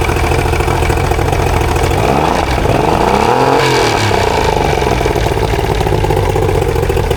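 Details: Used Mercury 90HP outboard, trade-in removed during a re-power, started without choke: steady even running with brief pitch swell and drop when shifted reverse, neutral, forward; everything working.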